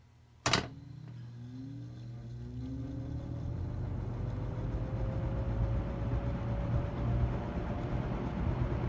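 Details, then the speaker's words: Mid-1970s EXL 7-bladed box fan, cleaned, oiled and fitted with a replacement switch, turned from off to medium: a switch click, then the motor hum rises smoothly to a steady, even whir. Normal running. "now we're going to go from off to medium since low is so quiet let's see what medium sounds"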